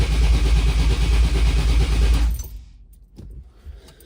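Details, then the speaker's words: 1971 Cutlass with 482 cu in aluminum-headed big block Olds: steady starter cranking that never fires; the ECM registers no RPM signal from the failed Holley Dual Sync electronic distributor, so no spark, after a new fuel pump was installed. "So what that means is that the ECM is not registering any signal from the distributor."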